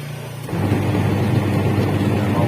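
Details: Polytron twin-tub washing machine whose wash motor wouldn't spin, tested after repair with the wash timer on: motor kicks in and settles into a smooth, even low hum with no knocks or grinding, running normally.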